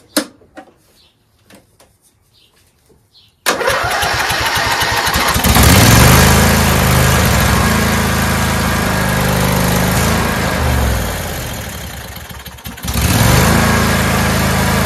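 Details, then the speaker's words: Lawn tractor cranked on an old 350 A battery reading 32% health, with ether starter fluid sprayed in and choke on, before a new AGM battery was fitted; a few faint, sluggish cranks, then it catches and runs evenly: hard starting from a weak battery. "we'll use this bad battery just to crank until we can't crank it anymore so we'll blow some starter fluid in here this is ether and give it a couple of cranks on choke and see what"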